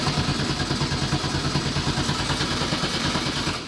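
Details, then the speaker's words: LS-swapped Nissan S14 on a newly installed Haltech ECU and Wiring Specialties harness, cam angle sensor just replaced: starter cranks the engine steadily at about six or seven even compression pulses a second, well over three rotations, but it never catches despite fuel pressure. Battery voltage drops to 8 V; owner suspects the untested ECU map. "Well, it's cranking, it's got fuel pressure, it probably is an issue with the map, because we don't even know what we're really putting on it."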